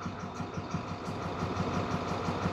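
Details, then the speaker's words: 2014 International MaxxForce diesel that won't exceed 20 mph with check engine light and codes: lumpy, uneven idle where cylinder cut-outs make no difference; cylinder misfire, injectors suspected, not confirmed. "verdad a mi experiencia hay falla de cilindro posibles causas puede ser la puede ser Los inyectores"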